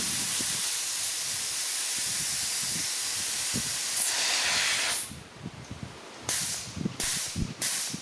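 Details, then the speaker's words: Shop air bag jack (11000 lb) at maximum extension under the front of a John Deere loader tractor; steady loud hiss then short puffs as the safety relief valve starts venting, confirming it works. "that's about the maximum and you can just hear it starting to leak next"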